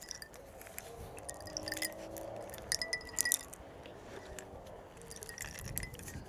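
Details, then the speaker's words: VW Crafter campervan AC compressor, removed and turned by hand: loose metallic clinks and tinkles inside as if it has fallen to bits; owner assumes it locks up, repeatedly snapping serpentine belts; it also leaked refrigerant. "Something is in there like it's fallen to bits inside. So, I assume it's locked up and that's why it keeps snapping the them alternator belts."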